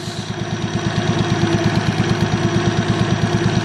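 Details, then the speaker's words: Modified Toyota Supra at idle after overheating on the drive home following hard pulls. A cooling-system pressure test was inconclusive. A rhythmic stumble on one cylinder is heard: a misfire whose cause is unconfirmed. A compression and leak-down test is planned next. "The car now is misfiring. I can hear it. It works normal, but I can hear it."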